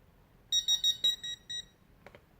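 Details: Tek-Point pinpointer probe: six short high clean beeps in quick succession as the single button cycles through sensitivity levels and vibrate/noise alert modes; normal operation.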